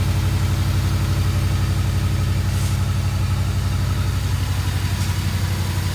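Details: 1982 Mercedes 380SL: fast, even idle around 1500 rpm that never drops to normal; high idle.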